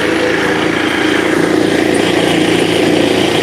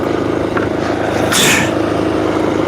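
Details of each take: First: Finished scooter's small single-cylinder engine idling right after startup, with the owner noting it might be low on gas. It ticks over smoothly and evenly with no misses, a normal idle. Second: Finished scooter with its small single engine holding a fast, busy idle that doesn't settle. The rear tire keeps spinning while the scooter is off its stand, so the idle speed is set too high and needs adjusting.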